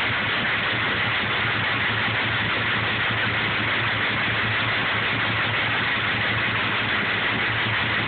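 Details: 6.0 diesel on cold start at idle: a loose, uneven clatter over the steady rumble. The owner finds it weird; cause unknown.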